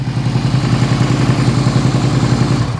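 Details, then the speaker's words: 2001 Suzuki SV650S V-twin that was running on front cylinder only, warming up with slightly high idle: deep, somewhat lumpy idle around three and a half pulses a second on both cylinders, smoky and smelly; sounds rich, cause suspected, fuel tank diaphragm or lines. "got a little bit of a high idle yeah that looks really good really really goodoo definitely stinky and Smoky though"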